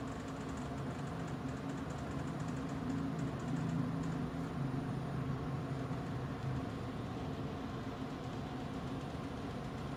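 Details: Kolin air conditioner running with a steady hum and a fast, uneven rattle, about three light clatters a second throughout; rattling noise issue.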